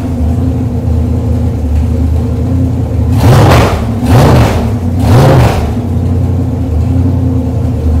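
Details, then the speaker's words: Chevrolet 454 big block on a test stand, open headers, cold day, over 2 gallons of fuel already run through it: loud even rumble at steady idle with three clean throttle blips rising and falling crisply; healthy, ready to deliver. "I put more than 2 gallons of fuel through this engine already. It runs nice. And it's ready to deliver."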